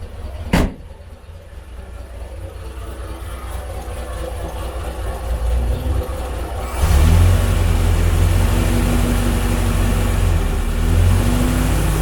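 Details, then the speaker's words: 1950s Standard 10 small four-cylinder after fitting a complete stainless steel exhaust system: quiet even idle building to a fuller rev, no rattles or blowing; sounds a lot better, healthy. "Well, it sounds a lot better."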